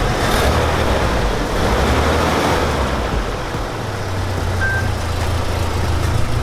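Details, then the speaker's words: Toyota truck at idle after replacing the bad gaskets on both sides: low, even, quiet hum with no tapping, rattle or leak, amid street noise; it runs healthy. "and now this thing purrs like a kitten and she's all finished up and ready to go back to the customer"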